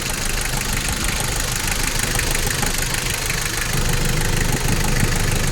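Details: Toyota 1KZ-TE diesel after a no-start fixed by ECU repair: fires up into an even idle with steady clatter and no misses, running properly now; normal idle.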